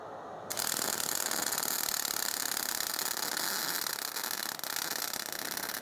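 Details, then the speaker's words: MIG weld with wire speed set far too high; harsh, uneven crackling with sharp popping instead of a smooth sizzle, weld sitting high with lots of spatter. "As you can see, it's sitting very high and there was a lot of splatter. The reason because of that was my wire speed was way too high for this weld."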